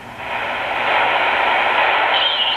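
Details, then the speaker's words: Tecsun PL-330 shortwave radio receiving SSB amateur station: steady hiss with thin chirpy whistle from an adjacent station bleeding over; narrowing the bandwidth filter cuts the interference. "you can hear a slight little chirpy chirp on the side with that is there's a station next to it and it's bleeding over and to cut that out we can use uh the bandwidth filter here"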